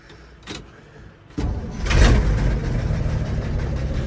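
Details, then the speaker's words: 1964 Chevrolet C60 grain truck, inline 292 six, restart after oil and filter change (thin oil, some sludge): door thump, starter catches at once, settles into steady even idle with no misses or knocks; normal quick start. "All right. We're up in the beast. Let's see. She's fired right over."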